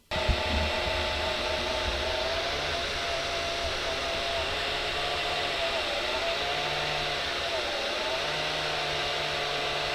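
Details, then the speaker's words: Small motherboard cooling fan in an Elegoo Neptune 3 Pro 3D printer, after four weeks of use. It whines unevenly with wavering pitch and an on-off buzzing growl. The worn sleeve bearing is noisiest at first start-up, and the fan was replaced with a ball-bearing one. "you know when the bearing is going in the fan it starts making all sorts of horrible noises"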